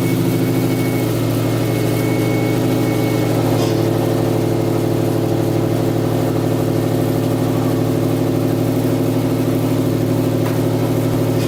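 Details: Subaru EJ257 flat-four first start after head gasket and cylinder head install: steady even idle with low smooth burble, no knocks or ticks; owner then says it's not right and sounded weird.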